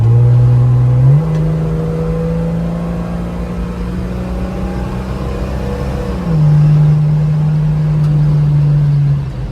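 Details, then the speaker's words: Mopar Slant 6 225 with Holley two-barrel, custom Comp cam and full-length TTI exhaust on road test: from barely-touched throttle the automatic kicks down, note dips then surges higher, pulls cleanly with slight wind whistle; normal acceleration. "Very nice. You can hear the wind whistling a little bit, but pulls pretty good."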